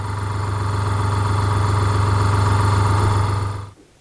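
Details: Fengda FD-186 budget airbrush compressor, pressure dialed to 25, mic facing the compressor. A steady low hum with a fast, even piston-pump pulse, no knocks or rattles, then it switches off; healthy.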